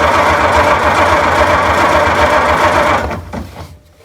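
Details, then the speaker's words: 1926 Oakland cranked by its starter for the first time since 1946, oil system primed, about 28 psi cold oil pressure. Even, rhythmic cranking at roughly four beats a second with no skipping strokes: compression is equal, though equally low, on all cylinders. "So one thing that we were just discussing is how steady this is when we're cranking it over, which means that the compression is equally bad on all the cylinders."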